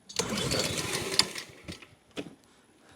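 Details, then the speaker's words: Honda HRN216 mower after new carburetor, new fuel filter and cleaned tank, fuel just turned on: rope-pull bursts sputter briefly and die between pulls; cranks but won't start yet, owner also suspects a stretched auto-choke spring. "Come on. Get some fuel in there. Come on now. Don't do me like this."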